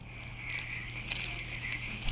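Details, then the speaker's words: Shimano Rarenium 2500FA fishing reel cranked by hand: gritty, crunchy whir from a water-damaged, rusted-out bearing, before bearing replacement. "This is how she sounds. It's a bit crunchy."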